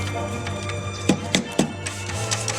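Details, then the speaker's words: Nissan Murano CVT transmission rebuild: sharp metallic clicks as the clutch drum is worked up and down during installation, clutches not yet seated in the drum; a solid slap means it is fully down and engaged. "Once you hear that solid slap, then you know that you have it all the way down engaged. If you don't then some of the clutches it the drum have not completely gone to the bottom"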